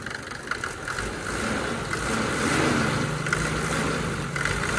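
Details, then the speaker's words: Mercedes W124 after fixing the serpentine belt squeak and correcting belt alignment: a smooth idle, then a gentle rev, with no chirp or squeal from the belt. A normal idle. "पूरी alignment में आ गई है तो कोई आवाज नहीं आ रही I can असोर that"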